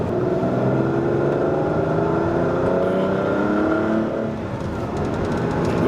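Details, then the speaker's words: Ferrari 512 BB flat-12 after misfire diagnosis and servicing, on a road drive: strong engine note climbing evenly under full-throttle acceleration, no exhaust pops or bangs; healthy, mixtures correct. "There's no pops or bangs. Again, if you get the mixtures out a little bit, you get a a lot of popping and banging in the exhaust. There's no pops or bangs on this."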